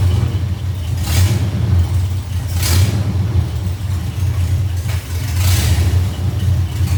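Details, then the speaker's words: First test drive of 1982 FJ45 pickup with freshly rebuilt 1977 Toyota 2F and H55F 5-speed, reaching second or third gear: deep even drone pulling steadily through gears, no knocks, whine or grinding; goes through gears fine; normal. "I mean truck going like second or third year I think at one point so you know seem to go through the gears just fine everything's working out brilliant"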